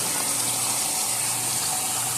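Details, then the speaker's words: Amana front-load washer in diagnostic test mode, hot water inlet valve test; steady hiss of water filling with no chatter or buzzing; water inlet valve working. "Probably cold water, I should say. Yep, that's hot water."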